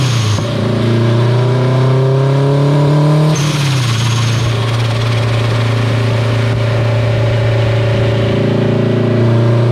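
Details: Acura RSX on dyno, boost raised and wastegate duty increased while tuning a boost problem: engine pulls hard under load, then sudden whoosh and revs drop to flat drone; turbocharger blew.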